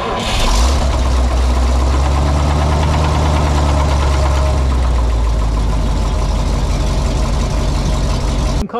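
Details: Old dump truck engine at idle after the oil leak was fixed with a new gasket cut from oil-rated paper: deep, even rumble holding a steady idle with no knocks or misses; good oil pressure and no leaks.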